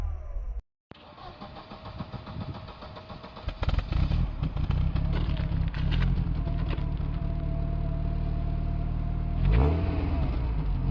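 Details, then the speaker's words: Hard starting with white smoke from tailpipe; owner suspects blown head gasket: nearly three seconds of labored cranking before it catches and revs up unevenly. "I think I have a blown head gasket because it's very hard to start and there is uh uh white smoke coming from the tail pipe"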